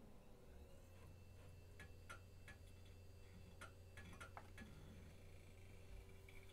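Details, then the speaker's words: Vintage 90s Packard Bell A940-TWR desktop (Pentium MMX), thrift store find, first power-up with no video; soft hum with scattered sharp ticks every second or so: old hard drive clicking. "oh that hard drive does not sound happy come on you can do it i believe in you"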